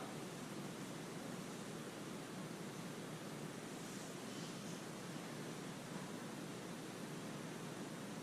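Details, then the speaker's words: Slab leak in a buried heating water line, ST-2000 ground microphone right over the slab, water turned on: steady, even hiss with no rhythm, loud close to the leak; likely an old iron pipe failing. "Wow, look at that. You can hear it really close. It was unbelievable. Shut it off. I'm saying the leaks right here because it was, maybe it was running down."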